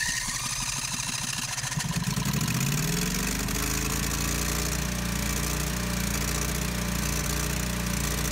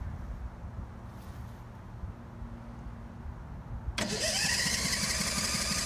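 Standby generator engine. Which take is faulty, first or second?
first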